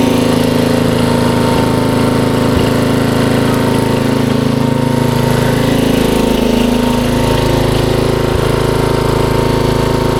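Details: 1994 Troy-Bilt 33-inch wide-cut walk-behind mower, model 34044, Briggs & Stratton single-cylinder engine, running in reverse: steady, even fast putter with no knocks or misses; sounds healthy.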